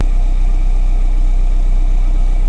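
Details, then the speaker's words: Car with suspected failing catalytic converter, idling during an exhaust flow check at the tailpipe: deep, even idle rumble with steady low beat, no stumbles or hiss; exhaust flow feels decent, runs cleanly at idle. "Well, we obviously know there's some flow because it really wouldn't be running if there wasn't. But I was just kind of feeling for how strong the exhaust flow was. And at idle, that seemed like a decent flow to me."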